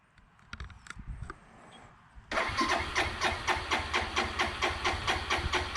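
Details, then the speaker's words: 2002 Suzuki GZ250 single after sitting 15+ years, choke on, in neutral: starter spins steadily at about two pulses a second but it never fires; extended cranking, no start, float bowl possibly not yet filled. "Let's go ahead and give it a little choke, and I imagine it's gonna spin over a little bit, so hang out with me. See how long it takes."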